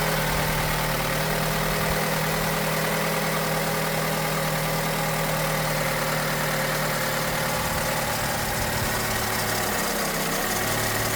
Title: Opel Corsa D 2010 1.2 cold start. Timing chain rattle?